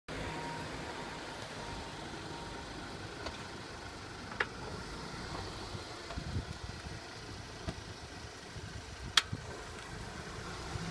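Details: Audi A4 B8 2008 1.8 TFSI petrol, low engine hum at low revs with isolated knocks and a sharp clunk when pulling away in first or reverse; also sometimes when accelerating from low revs with engine labouring.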